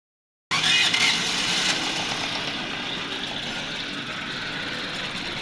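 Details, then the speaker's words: 2017 Toyota Corolla 2NZ engine that lost power while driving: thin, hissy, uneven idle with no solid low beat; two cylinders dead, later traced to a blown head gasket. "गाड़ी का sound भी अजीब सा आ रहा है और गाड़ी pressure भी नहीं ले रही भाग भी नहीं रही और हमने यहां देखा तो दो सिलेंडर इसके काम नहीं कर रहे"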